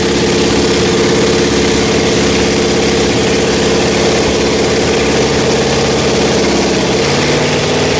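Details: Rebuilt Pontiac 400 V8 from a 1979 Trans Am on a homemade run stand, second flat tappet cam break-in after the first cam lost a lobe: loud, steady fast idle on the fast idle cam, even drone, no lasting tick or knock; healthy.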